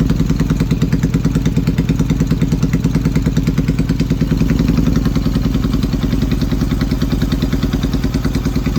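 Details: Yamaha XS650 twin running an old Hitachi TCI ignition: uneven, stumbling idle with occasional skipped pulses; misfiring, cause not confirmed.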